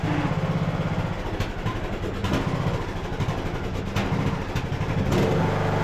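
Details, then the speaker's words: Craftsman LT2000 riding mower, almost 20 years old, hood off, before carburetor replacement: small engine speed rises and falls every second or so, hunting idle surging from a bad carburetor. "I did have this running earlier pulled it across the yard it was surging um so we shouldn't need choke but you guys will be able to hear what I'm talking"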